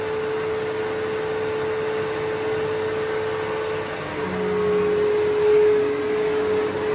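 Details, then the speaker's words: Bissell PowerForce 3522-1 upright vacuum, motor lubricated after squeaking, new belt, original roller; steady rushing whir, constant mid tone, no squeak or chatter; normal motor running after repair. "And yeah, motor sounds great. It's all lubricated, so it should be good to go."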